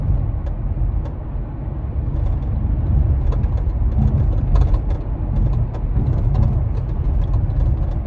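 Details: Kia Stinger driving on the road, heard inside the cabin: sharp irregular clicks and taps over steady road rumble from the rear hatch rattling at the latch and striker, before the fix; spare tire already checked as secured.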